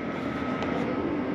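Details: 2011 Keystone Outback 301BQ RV, with the unit switched on at the hallway thermostat. A steady, even drone with a constant mid-pitched hum and no knocks or rattles. The rooftop air conditioner is running normally.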